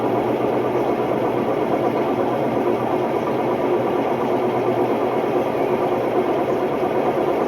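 Loud, constant roaring rumble through the whole spin with no letup; worn drum bearings grinding away at speed.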